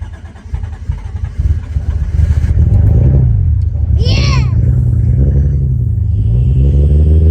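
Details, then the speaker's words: Supra 1JZ-GTE newly on a standalone ECU, first start after loading the tune: a low burble that settles into a fairly steady idle after early unevenness; normal idle. "okay so I got it taped off it's idling good"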